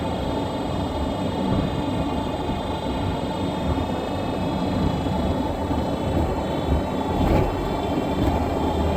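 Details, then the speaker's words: 2017 Nissan Rogue driving on the road: constant high-pitched whine from the rear end over road rumble, present all the time and lessening only when slowing; worn rear differential coupling, which gets replaced. "but you hear that sound sounds like that all the time just a high pitch whining noise never stops you know it just gets less as you're slowing down"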